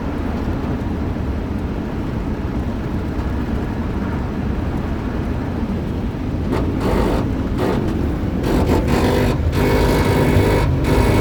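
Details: 2001 Chevy Silverado 1500 RWD coasting at 75+ mph: a steady road roar with a rough grinding drone from the driveline. Vibration is felt in the gas pedal and heard at both sides of the front floor. Sway bar, rack and pinion, tie rods, parking brake and tires were already replaced; cause unknown.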